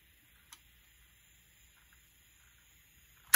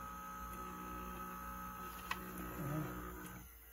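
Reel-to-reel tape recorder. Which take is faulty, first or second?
second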